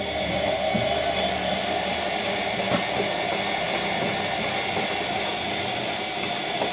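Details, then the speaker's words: Bosch Classic washing machine after motor repair, door seal temporarily fixed with gasket maker (small seal leak remains): smooth even whirring hum, steady tone, no knocks or grinding; earlier motor squeak appears gone after spin; washer running normally. "But yeah, this thing is, apart from that little leak in the seal, this thing is working. Sounds like it's working well too."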